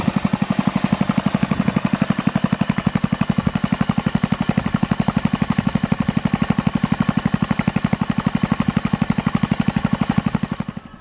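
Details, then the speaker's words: Kohler K181 eight-horse single for Panzer tractor, bench run after rebuild with new ignition wire and points: crisp, regular firing about four beats a second, brief smoke burns off, no knocks or misses; healthy idle. "there was a little bit of smoke upon startup but that all burnt off of there and there's no knocks or noise or anything like that out of it so it's a good solid cooler eight horse"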